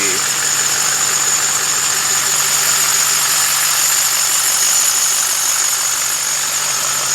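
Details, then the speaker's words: LMM Duramax diesel at idle: constant shrill squeak and chirp from the serpentine belt system; belt, tensioner and idler pulleys to be replaced. "things got a terrible squeak chirp whatever you want to call it coming from the serpentine system drives me absolutely nuts"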